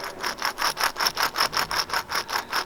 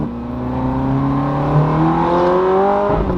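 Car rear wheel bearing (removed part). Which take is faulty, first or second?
first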